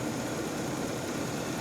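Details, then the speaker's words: 2010 Mercedes ML350 (350 engine known for balance shaft issues) at a salvage auction walk-around: even, steady petrol idle with no knocks or ticks, engine sounds good; balance shaft timing would need crank/cam sensor removal to verify. "okay engine sounds good though now this is the SE the uh 350 with the uh balance shaft issues so you got to be very aware of"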